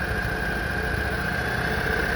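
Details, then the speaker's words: Small engine of an 8x8 Argo amphibious vehicle with CVT, after carburetor cleaning, idle adjustment and new air filter, having sat outside: fast, steady idle with a constant buzz and no dips; idle still a touch high for the CVT to shift. "I can't have it idle too high because it's a CVT. So we don't want, this has to be slowed down at a certain speed in order to shift gears. So I think the idle's a touch high yet."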